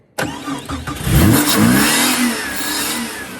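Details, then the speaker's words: Jeep that stopped starting: with starting fluid in the open throttle body and throttle feathered, the engine catches, stumbles a few revs, then settles to steady idle; fuel pump suspected, actual cause unclear. "Lucas's Jeep stopped starting."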